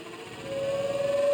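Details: Mueller spin dryer (centrifuge) that only hummed without spinning, now spinning up after its capacitor was replaced: a clean whirring tone climbs smoothly and evenly as the drum spins, with no groan or stall. Normal spin-up.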